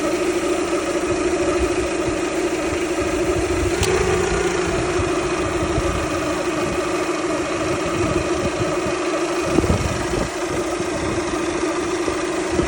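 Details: Toyota Camry 2.2 L four-cylinder idling: steady mid-pitched whine holding constant over smooth idle; owner suspects alternator or water pump, mechanics say normal or can't hear it.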